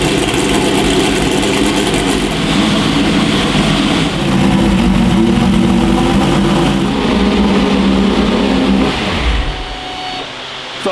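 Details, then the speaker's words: Manual-swapped C8 Corvette drift car V8 being fired up in the shop before dyno tuning, previously revved only to about 3,500 rpm, oil leaks sealed; crisp note rising and holding revs, even and clean with no knocks, then settling; normal revving. "You guys are gonna hear on a proper mic how freaking awesome it sounds, and hopefully we'll be able to rev it higher."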